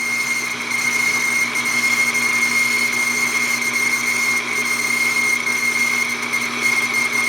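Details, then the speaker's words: Hobby lathe boring a hole in a model Stirling engine part, at about .485 aiming for .505 with feed slowed: steady high squeal over spindle and cutting noise, boring bar chattering; finish still looks good, may need slower spindle. "Quit squealing. Finish don't look bad though, even though it's got a little bit of a chatter going in and out."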